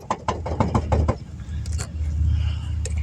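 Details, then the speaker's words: 2009 Nissan Armada, raised front wheel rocked by hand: a quick run of hollow clunks, about six a second, from play in a worn wheel bearing; the tire should not wiggle like this. "if you need to ever know what a bad wheel bearing looks like or sounds like it sounds like this shouldn't be able to wiggle the tire like"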